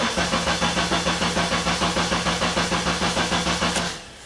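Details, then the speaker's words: 2005 Honda Element 2.4 L after an engine replacement: steady cranking at about 200 compressions a minute, never catches. No spark, no injector pulse, no fuel pressure and no ECM communication; the fix was replacing a shorted MAP sensor. "you hear it is a no start we're not sure what we're missing yet"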